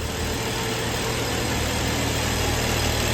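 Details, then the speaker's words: Early BMW N55 idling just after replacing its failing high pressure fuel pump with a rebuilt N54-style pump with E85 seals: even, steady idle, light regular ticking, no stumble or misfire; rail and low-side pressure good, oil-pressure gauge broken. "Oil pressure is just pegged to 72, so that's because that sensor is broken. But she's running smoothly."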